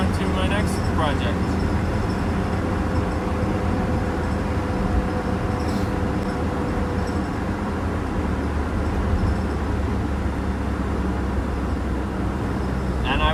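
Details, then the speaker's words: Mitsubishi Mighty Max on a road test at about 50 mph (speedometer broken) after replacing the driver-side front wheel bearing, which had ground at 40–50 mph: steady, even road rumble, no grinding or growl; seems fixed. "yeah i think it's fixed so i don't know how fast i'm going but probably about 50."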